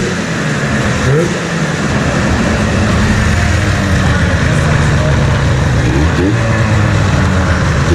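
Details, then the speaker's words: 1997 Ski-Doo Formula 500cc two-stroke snowmobile run indoors after sitting 5+ years, with carbs cleaned, new intake flanges and primed fuel; clutch still being freed. A busy, crackling buzz climbs cleanly with throttle and holds steady; running healthy. "Free up this clutch. The Dude, it sounds good though."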